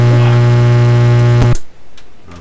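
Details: Heathkit SB104A transceiver on the 20 meter band: steady buzzy low tone while transmitting, then cuts off abruptly; 20 m goes wacky on transmit while 80 and 40 m work, cause not yet found.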